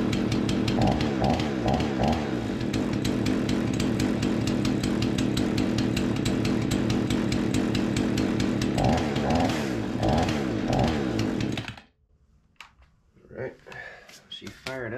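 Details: Remington 46cc chainsaw after carburettor cleaned and refitted, test fire at 42°, primed and choked: catches and runs with a crisp buzzing two-stroke note, revs rising and falling smoothly before cutting off; before mixture adjustment; normal running after carburettor repair.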